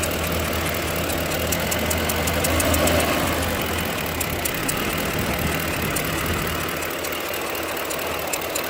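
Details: 2007 Ford Expedition: low droning hum with faint ticking at idle, absent in Park, starting when shifted into Drive, clearly from driver side; source undetermined.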